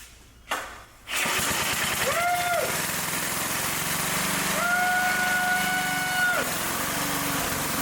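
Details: Restored vintage Blue Grass walk-behind mower with rebuilt engine, freshly fuelled and oiled, first start with choke on fast: catches after brief crank, settles into steady even running beat with no misses, music over the top; normal starting and running.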